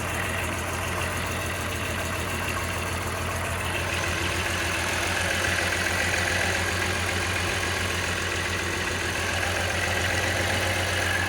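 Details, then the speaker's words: VR6 12v first start after oil cooler, crack pipe, thermostat, radiator and intake gasket maintenance: lumpy idle with an irregular stumble about three to four times a second. Misfire caused by crossed coil pack wires on cylinders 1, 3 and 5; once fixed, it idled fine. "No leaks from the hoses. Sounds like it's misfiring."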